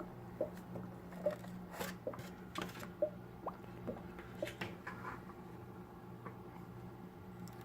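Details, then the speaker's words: Aquarium filter in a bedroom with filter media in place: faint steady low impeller hum with soft water trickle and occasional drips; normal running. "it's just overriding the hum sound from the impeller with the trickling sound from the filter"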